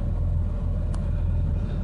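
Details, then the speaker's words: 1989 Jeep Cherokee 4.0L inline-six auto idling after starter replacement following water submersion failure; steady, even low rumble with no knocks, misses or squeals; normal idle. "Things are running again."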